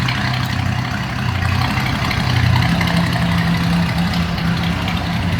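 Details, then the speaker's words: 1957 Ford Ranchero, 302 V8 with automatic transmission, recent radiator and water pump, driven last 4-5 summers, heard from the rear: low, even rumble at steady idle with no misses or knocks; idling smoothly and healthy. "Slip around to the back. A little rumble out of that 302."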